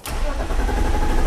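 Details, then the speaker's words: 2002 BMW 325i E46 with no-start: steady, even cranking that never catches; the cause is a faulty ignition switch. "you can hear it it cranks no problem but does not start"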